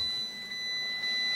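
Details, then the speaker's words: Fiat 500 dashboard sounds a thin, high, continuous warning tone with brief breaks, and it stops once proxy alignment runs; owner suspects Blue&Me or the airbag as the cause; warning chime. "It's like an alarm going off, you know, a burglar alarm or car alarm going off. Really annoying."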